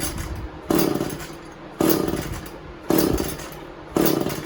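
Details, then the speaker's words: Echo CS400 chainsaw, first start after replacing stripped-gear oil pump with OEM part: two-stroke surging in uneven bursts, rough and unsteady; owner suspects it flooded. Chain oiling confirmed. "don't make any sense. Must have flooded it."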